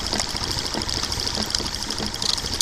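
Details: Late-1800s/early-1900s Stirling engine machine with a small generator: fast, even clicks under a light high ring, a metronome-like clicking it is meant to make. Running normally.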